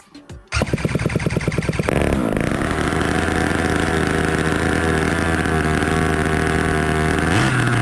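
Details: Jetsurf two-stroke engine on test bench with rebuilt ICU control unit, started after long standing with slight choke: pull-start chuffs, then catches and settles into steady buzzing idle with clear even drone; running normally.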